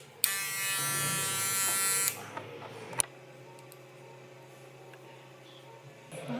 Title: #Video tutorial: cleaning and lubricating the shaver to reduce loud noise